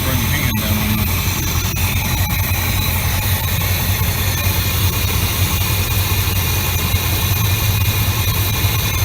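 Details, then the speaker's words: 1988 Chevy Silverado C30/C35 dually wrecker, 454 V8 with emissions equipment removed, idling: deep steady rumble, even beat, no knocks or ticks; temperature and oil pressure good, alternator not working. "Got everything working now. Motor sounds good."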